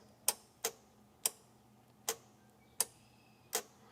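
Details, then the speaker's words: Bobcat skid steer, a 642 or 632, bought cheap at auction: six crisp, unevenly spaced clicks as the fuel shutoff solenoid wire, earlier wrongly hooked to the coil, is touched to the key power wire. The solenoid pulls in and works. "It's running our fuel solenoid."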